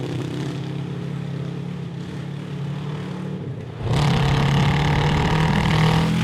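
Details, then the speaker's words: Honda CB750 750cc cross kart back on factory jets with homemade air box: steady low running, then ragged stumbling as throttle rises; fine at half throttle or below, breaks up above; air box suspected. "it's fine as long as you're like half throttle or below"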